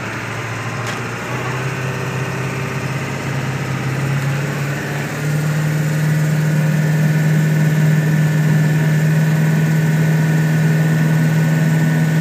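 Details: 1999 Ford F250 7.3L diesel, 155k miles, Banks tuner, aftermarket turbo, intake, exhaust; low idle in drive with lumpy uneven pulse, less rough in neutral or park; owner suspects burnt valve cover gasket wiring harness, unconfirmed.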